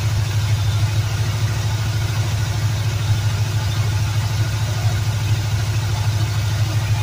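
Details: 1984 Subaru ("Subalanche") after fitting a second, tested electric fuel pump: low, fairly steady idle thrum about two beats a second, no clear stumble, though the pump delivers little fuel and owner suspects a clog and may bypass it.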